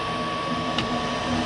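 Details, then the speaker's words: Goodman gas furnace: steady inducer fan whir with a thin tone and no burner whoosh. Voltage reaches the gas valve but it won't open; failed gas valve, being replaced. "But you hear the fan, that gas valve is not open."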